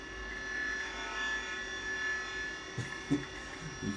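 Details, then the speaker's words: 1987 Apple Macintosh II running: a constant high whir of several steady tones with a few clicks near the end from the hard drive's worn bearings; the drive still works but may be on its last legs. "the bearings quite clearly there this drive might be on its last legs but it seems to work fine so"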